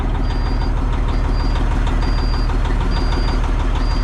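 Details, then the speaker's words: Fire-damaged cabover truck with a Series 60 engine swapped in, just after its first start, idling to warm up: steady, even diesel idle with a smooth low rhythmic pulse and no knocks or misses. Check engine light is thought to be from unconnected items. "Oh, that sounds better. That Wiper's already trying to move over there. Oh, hey, look at that. Let's just let her idle away and uh warm up."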